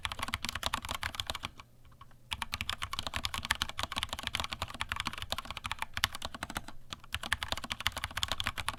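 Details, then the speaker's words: Vortex Cypher keyboard, stock Cherry MX Silver linear switches, stock keycaps without o-rings, microphone moved down, keys bottomed out: even clatter with clean bottoming-out thocks, no metallic ring or spring ping; normal typing sound. "okay so just some general key spamming all right okay so that is a rough ish sound test of what this vortex cipher with the MX Silver's sounds like it's not unpleasant"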